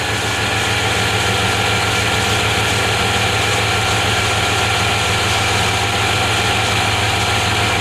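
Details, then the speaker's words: 1993 Chevy Silverado with hard-starting issues traced to the fuel pump relay. Once running, a steady even idle with a smooth low rumble and no knocks, misses or surging; the owner says it runs perfect after it fires up. Normal idle. "Thing runs perfect after it fires up. I have no issues at all with it running."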